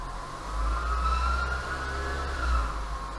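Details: Renault Duster 2018, H4M 1.6 16V engine, 45,812 km: steady high whistle/whine over the engine, heard at idle and constant when revs are held near 1750 rpm; alternator front bearing whine.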